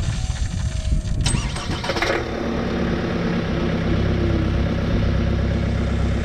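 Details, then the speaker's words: 2018 Chevy Cruze 1.6L turbo diesel start after fuel filter change and three priming cycles: crisp crank, catches cleanly, steady even clatter at idle, filter fuel noise stops, no leaks; healthy. "I'm not hearing anything not seeing anything so that's good and I don't know if you can hear without fuel noise that was circulating around in the filter now probably just filling up even more has stopped now cars still running the same"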